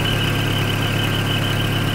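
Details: 1994 Toyota pickup with 22RE four-cylinder: steady high squeal over a low, even idle that doesn't let up, like a belt slipping; belts noted loose, cause suspected, not confirmed.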